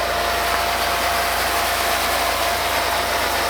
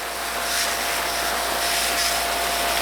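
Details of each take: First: RealYou no-dilution foam cannon spraying undiluted Adam's Mega Foam, nearly empty: even, unbroken hiss with no sputter, surge or gurgle; flawless operation, 47-second run time, shorter because the thinner liquid passes through faster. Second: RealYou no-dilution foam cannon with a new pickup tube, over two to three minutes into a run that reached 3 minutes 48 seconds: hissing spray surges and sputters unevenly instead of a steady rush; cannon spurting despite better run time.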